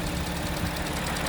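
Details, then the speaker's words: Audi S4 3.0T supercharged engine idling on ramps before an oil change: fast, light ticking over a steady idle that comes and goes periodically; owner cannot identify the source of the engine ticking. "is that ticking noise if you guys can hear that ticking noise on camera I'm not sure but please comment below what you guys think that is I have no idea it comes on and off periodically"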